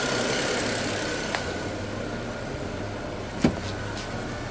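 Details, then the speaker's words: Turbocharged BMW after cleaning VANOS solenoids for codes 2A87 and 3100: engine running steadily with turbo sound and a thin constant high whistle above idle, source unclear; repair failed, P0015 and more codes followed. "I love how you can hear the turbos go, but I don't know about that whistling sound."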